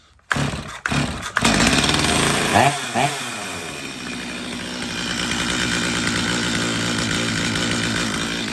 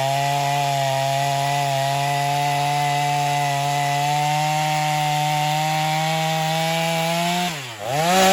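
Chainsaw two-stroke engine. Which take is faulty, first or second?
first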